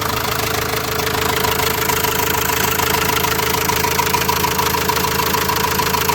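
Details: Renault Master diesel minibus, after repair with engine reassembled, idling steady and even with a smooth regular beat, no thumping or knocking; the earlier thumping is gone and the engine sounds healthy.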